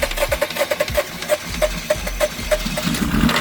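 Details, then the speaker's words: Honda Fit that locked up after driving through heavy water and now barely runs, heard on a start attempt: uneven, heavy clunks that slow and stumble with a harsh knock. Sounds like bearings; cylinder 4 shows zero compression. "I want to tell you the truth, Fox. That sound like bearings, dog."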